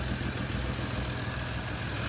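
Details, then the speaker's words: 1960 DKW three-cylinder two-stroke, just restarted after head gasket work with a 6-volt booster: low, even, smooth idle with a steady beat, slight smoke and no knocks or misses. The owner expects about 120 psi compression across all cylinders. Normal idle. "Smooth as silk. I don't want it to get too hot. That is really nice. Oh yeah. Listen to that baby purr."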